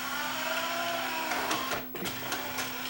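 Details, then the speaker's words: Yamaha 5-disc CD changer after load belt replacement: a small motor whirs steadily with light plastic clicks as the tray moves normally, with plenty of torque and no slipping or humming. "It's got lots of torque. the motor doesn't slip now. You don't hear it humming away, right?"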